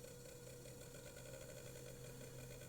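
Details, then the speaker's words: Graham Farish Class 50 loco with Poole-type chassis, after replacing cracked axle gears, slow crawl: steady low motor hum and even higher tone with no lumpy catching from the gears; shaft squeal not yet fixed. Normal running. "now we'll do a little crawl this that lumpiness has gone from the uh the cogs basically"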